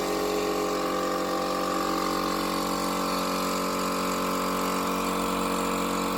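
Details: 24-litre 2 HP 220 V air compressor after motor repair (capacitor checked at 19.72 µF of 20 µF, windings lacquered, reassembled): steady, even run with firm hum and fast regular pumping, no stalling or straining; motor had hummed without turning before.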